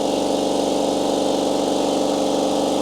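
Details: Compressor filling, mic about 150 mm from heads, 90–91 dB: loud, steady, fast-pulsing hum with even beat, no knocks or rattles; pressure rising quickly, pumping normally.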